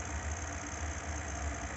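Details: Brand-new Grilla Grills pellet grill, also with wifi trouble and meat probe reading far too low; steady low drone with uneven throbbing thumps, noise getting worse; abnormal loud mechanical noise, cause not found.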